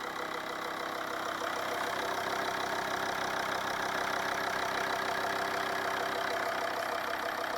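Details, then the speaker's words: 2006 Volvo V50 D5 2.4 five-cylinder diesel, cold start at 3 degrees with engine cover off: steady idle with faint tapping about two per second and a thin squeak; possibly one cylinder knocking, owner suspects a worn tensioner pulley. "Doesn't sound too bad. There is a little bit of a knock, I don't know. One cylinder is knocking a little bit, but it could well be a pulley or potential pulley, you never know."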